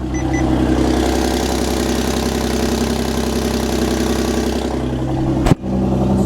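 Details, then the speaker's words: Tuned Audi S4 at idle from start-up: loose, tinny rattle over the exhaust note; owner suspects he damaged the flex pipes, unconfirmed, and plans to fit Mopar exhaust pipe dampers. "I didn't do my research well enough on but you'll notice if I turn the car on you hear that rattling"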